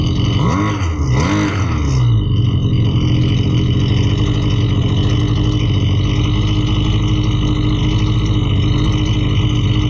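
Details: Husqvarna 329L string trimmer, customer complaint of bogging and not staying running, test run after carburetor reassembly: a couple of quick blips, then the two-stroke settles into a steady, even run without bogging or surging, running properly.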